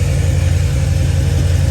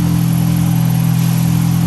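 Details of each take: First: Supercharged 1998 Honda Prelude (Jackson Racing supercharger) with good compression idling with an uneven, lumpy, tractor-like beat; pulling cylinder two's injector plug changes nothing, so cylinder two is dead, likely the one with the clean spark plug; injector wiring suspected. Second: 1998 Honda Prelude with Jackson Racing supercharger, Crane Cams ignition box and coil, DC Sports header, still with catalytic converter, on dyno under load: steady low drone, revs climb smoothly and evenly with no misses or stumbles; clean, healthy pull.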